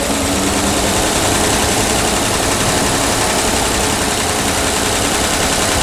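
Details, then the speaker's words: PAZ-672 bus engine after valve adjustment, knock gone; steady even idle with smooth low hum and no knocking or ticking; normal idle. "Не знаю, слышно или нет разницу, но стук пропал."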